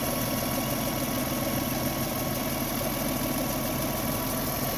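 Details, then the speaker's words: 1997 Lexus ES 300 with hard start and idle issues, after rework: smooth even idle hum with no hunting or stumbles; previously stuck at one speed instead of idling down, now normal idle. "actually has a little bit of an idle before just idle one speed it didn't start up and idle down it just stay at one speed the whole time"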